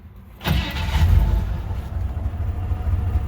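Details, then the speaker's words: 1959 Chevy El Camino, low on fuel: brief crank, catches at once and settles into steady low even rumble; normal cold start, slight exhaust leak noted near heat riser. "tell you it runs very nice for what it is"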